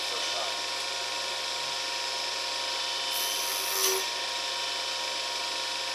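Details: New U3 universal cutter grinder, test cut on rod after diamond dressing the wheel: even hissy grinding with a brief sharper rasp as the wheel bites; smooth, normal cut.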